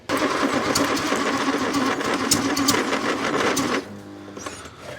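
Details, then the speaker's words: 1962 Rover P4, good spark at points, battery suspected weak: uneven cranking chug, three or four beats a second, with occasional weak puffs, then stops; cranks, fires intermittently, won't start. "I can hear it doing little puffs, little fires, but it doesn't want to go."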